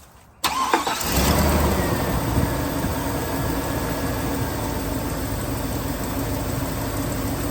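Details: 1999 GMC Sierra 1500 V8 bought cheap, suspected water pump leak from weep hole: quick crank, clean catch, then a steady even idle with no knocks or misses; engine sounds healthy.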